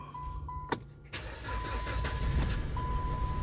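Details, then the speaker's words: 2013 Dodge Avenger four-cylinder after spark plug and thermostat housing repair: chime, short crank, prompt start, steady idle about 800 rpm; formerly hard-starting, now starts normally, though rpm still hunts about 200 when revved. "now before you would crank and crank and crank and it didn't want to start so right now just idling it seems like it's island pretty smooth about 800 rpms"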